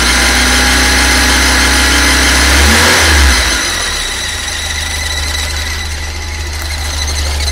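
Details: Fiat Uno EP 1996 at idle: sharp, steady high-pitched squeal over the engine, dipping briefly as revs drop, then holding. Squealing noise of unknown origin.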